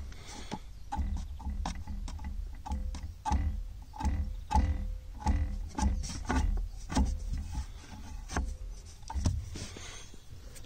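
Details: VW Golf Mk7.5 driver's side dashboard: irregular sharp plastic clicks and taps over a low hum from a loose trim piece vibrating.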